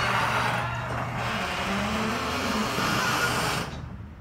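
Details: Genie garage door opener recorded up close: loud wavering squeal and rattle over the opener's drone for a few seconds, then stops; extremely squeaky, noisy door.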